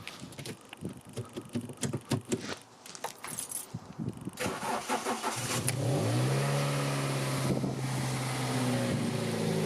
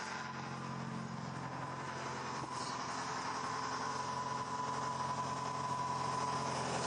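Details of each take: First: 2003 Toyota Corolla 1.6 VVT-i rescued from scrap, restarted after tightening a screw, no new intake gasket: initial clatter, then catches and settles to smooth, steady idle with even hum and no rattle; fixed. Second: 2003 Toyota Corolla 1.6 VVT-i, long neglected: steady idle with light, fairly quick tinny rattle on top; previous owner blames the plastic intake manifold, traced to a loose baffle screw buzzing inside it.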